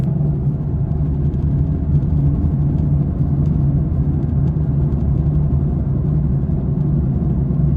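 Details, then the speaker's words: Steady low train-like drone under road noise at 80 km/h, phone held against the dashboard; worn right front wheel bearing; axle boot and axle bearings checked and confirmed OK. "So ito guys ha pakinggan niyo yung parang tren na tunog. 80 yung takbo ko."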